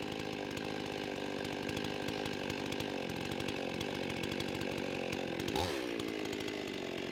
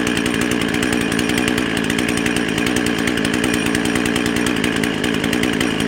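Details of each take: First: Husqvarna 55 chainsaw after repair of the carburetor gasket air leak, warm, about 13,000 rpm, cutting wood: it screams at a steady high rev, pulls down evenly in the cut and recovers cleanly, with no bogging or surging. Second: Husqvarna 55 chainsaw with an 18-inch bar, half choke, no load: screams at a high, slightly wavering pitch around 13,500 rpm, revving too fast; lean running from an air leak at the carburetor gasket.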